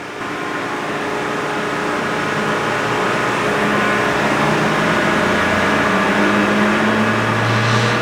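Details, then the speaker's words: John Deere green F12-090 hydraulic motor returned for a customer-reported squeal, bench run at 2,000 rpm with no load: smooth even whirring hum climbing slightly as it settles at speed, no squeal; normal. "That's normal. That was 2,000 RPM."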